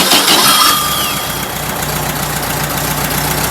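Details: Air-cooled VW engine build, a tight motor, started with a starter box: brief cranking catches quickly and settles into an even, steady idle pulse around 220 a minute; normal start and idle.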